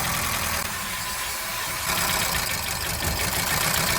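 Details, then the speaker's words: Hyundai Accent petrol engine at idle with a bad misfire; coils unplugged one at a time. Good cylinders make idle rougher and shakier when dropped; unplugging cylinder 4 gives no change, so the misfire is in cylinder 4. "Okay, you see how cylinder number 4, there is no change. When we unplug it, there's no change. So right there, you can see that the problem is within cylinder 4."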